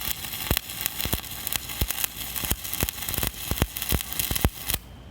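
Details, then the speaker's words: Stick welding powered by three car batteries in series: steady frying crackle with frequent sharp pops for nearly five seconds before the arc breaks; stable, healthy arc. "150 to 180 amps okay not bad at all you built up some metal there dude"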